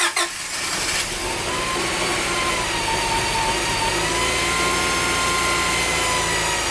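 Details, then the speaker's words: Honda Prelude VTi 5th gen, H22A5 2.2 VTEC, idling after repeated timing belt refits with the balance-belt idler removed: the belt no longer rubs, but a thin whistling tone near the front of the engine persists. Its source is unidentified. "Mais alors, qu'est-ce qui génère ce bruit à la con? Mystère."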